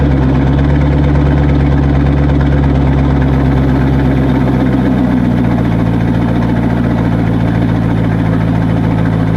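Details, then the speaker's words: C5 Corvette on a lift with exhaust cut and dumping before the mufflers: loud, deep, raspy unmuffled idle burble, echoey, like open headers or broken exhaust; open exhaust. "Probably wouldn't be so echoey maybe, but it sounds just like when people have like open header pretty much, or like their exhaust is broken. So I don't really like the way that sounds."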